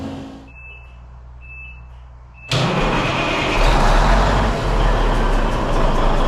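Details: Peterbilt truck diesel, first start after cab refit with fuel in the rebuilt tanks; a few chirps, then it fires abruptly and settles into a loud, even, steady idle with no knocks or misses: healthy.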